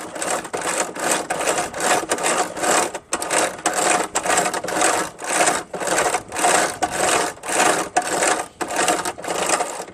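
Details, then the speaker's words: Craftsman 5HP 24" dual-stage snowblower with heavily rusted drive chains and wheels that wouldn't move: a rhythmic scraping clatter, about two bursts a second, as the chain is worked by hand and a kinked rusted link binds on the small sprocket. "Yep, it's this one right here that's bothering it right there, because when it goes over the smaller cog, right, it has difficulty to go around."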